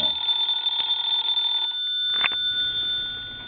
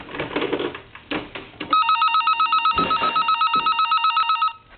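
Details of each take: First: Vintage Siemens Milano telephone, mechanical ringer after repair with the belt tightened, rung with the hook switch held down: a bright, steady, high-pitched metallic ring for about a second and a half, then fading. Normal bell ring. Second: Vintage Siemens Milano telephone with an electronic ringer element soldered in instead of a bell: a shrill warbling trill, about four chirps a second for three seconds, with no bell clang.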